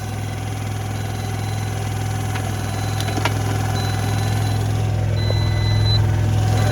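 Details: Piaggio ET4 scooter single-cylinder, long unused, on jump pack, catches on third attempt and settles into steady even idle with no knocks or misses.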